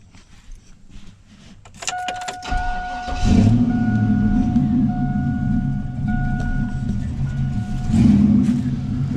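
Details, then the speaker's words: 1999 Chevy Silverado 1500 V8 cold start: starter cranks, engine catches, then uneven loping stumbling idle while cold; owner suspects vacuum leak from factory plastic intake gaskets, to be replaced with metal ones. "rough rough ass item it'll sound like crap so what we're gonna do here we're gonna uh we're gonna have a vacuum leak"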